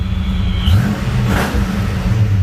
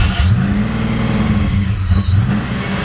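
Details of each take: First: Supercharged Fox-body Mustang after torquing down the loose upper intake: deep, even idle with a brief blip, settling steady with vacuum restored; stable healthy idle, runs great. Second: Supercharged Fox-body Mustang, first start, injector reconnected, plugs and wires on: low uneven idle that surges and sags and barely keeps running; owner suspects a vacuum leak or idle air control issue.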